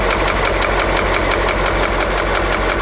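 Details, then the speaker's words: KamAZ YaMZ-238 diesel idling: steady, even knock about one to two a second over the clatter; owner suspects cylinder 7 (seems dead), cylinder 5 slightly, pump ruled out; injector removal and compression test possibly next; source unconfirmed. "как-то вот трубки вообще не отбивают вот это немножко стучит это тоже Пятая немножко Седьмая вообще как будто нету"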